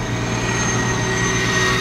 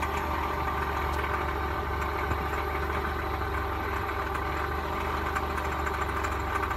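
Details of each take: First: 1999 Toyota Corolla 1.8 after fixing the power steering pump pulley: steady idle at a stop with even hum and faint high whine, no knocking; the earlier knock is gone. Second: 1999 Toyota Corolla 1.8 idling with a steady, rapid knock underneath resembling a rod knock, confirmed to come from the power steering pump pulley.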